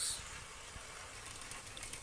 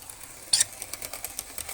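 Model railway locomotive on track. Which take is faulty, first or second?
second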